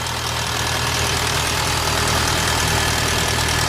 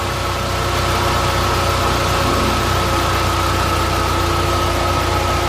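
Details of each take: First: VW Bora GLI 2.0 turbo at idle before repair: fast metallic chatter about four ticks a second from the valve cover area; worn timing chain, fixed by replacing chain, both camshafts, tensioner and cam cover. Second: este motor tenía un sonido en las tapas de puntería se escuchaba como bustos descargados era la cadena se cambió la cadena los dos árboles el temblador y la tapa de los árboles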